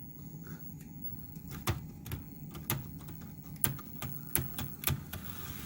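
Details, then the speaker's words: HO-scale Proto 2000 EMD E9 locomotive after hardwired DCC decoder install, run forward and reverse on track: faint motor hum with sharp irregular clicks about once a second; suspected cracked axle gears, teardown found a plastic piece in the truck gears. "oh it sounds like cracked axle gears oh man all right hopefully that's not the problem"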